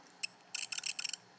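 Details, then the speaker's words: 750 GB hard drive that was working just before arriving at the shop: quick clusters of six or seven sharp, high-pitched clicks within a second over near silence, pointing to mechanical failure, likely worsening the longer it runs. "Yep, shoot, those aren't good sounds, man. Those are not good"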